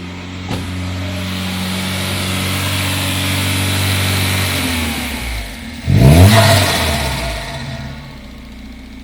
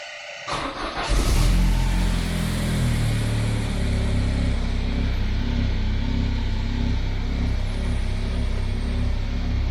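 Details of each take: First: Citroen Xantia Activa, running for the first time: revs climb and hang high for seconds before sagging slowly back instead of dropping to idle; the throttle is a bit stuck. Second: Citroen Xantia Activa engine, long-stored non-runner, starting after the fuel pump was run backwards then forwards off a battery: catches after a short crank and settles into a steady, even running note with no misses or knocks.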